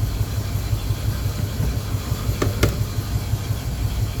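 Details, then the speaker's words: 1976 Chevrolet K5 Blazer Cheyenne V8 with headers, about 20,000 miles, just after cold start: low steady burbling idle with brief clicks, good oil pressure, owner suspects no thermostat as temperature hardly rises; smooth, no knocks. "Good oil pressure. I don't think it has a thermostat because the temperature hardly ever comes up."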